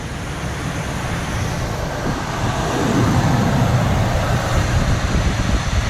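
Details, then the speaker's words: 1982 Camaro Sport Coupe, 305 V8, after capping three or four vacuum leaks: low, even idle rumble with no stumble or hunting, some outside noise; running really smooth on its own, no foot on throttle. "we capped off the vacuum lines and it's it's running really smooth really smooth"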